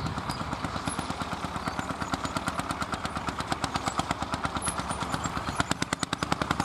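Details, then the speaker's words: Vintage Fiat hot-bulb (testa calda) tractor, possibly 55, 60 or 70 hp and weighing about 50 quintals, ploughing at a festival: steady, even thumping with strong, regular firing pulses under load. A single-cylinder hot-bulb engine running healthily. "Senti come batte Senti come batte è un testa calda senti senti che spettacolo"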